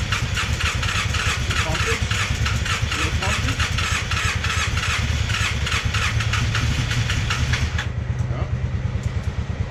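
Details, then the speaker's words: Polaris Sportsman 600 ATV engine: long, fast, even starter cranking with only weak, scattered firing that never catches; hard starting from low compression, only 120 psi in one cylinder. "yep unfortunately she's got no compression Wow I don't say no compression she's got 120 pounds in one cylinder which is still obviously not enough"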